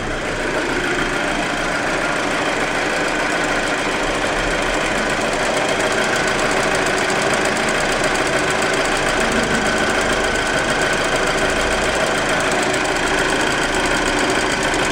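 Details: Audi A4 2.0T idling: a fast, fairly regular ticking knock rides over a busy mechanical clatter. The owner suspects valve knocking, not confirmed. Engine knocking noise at idle.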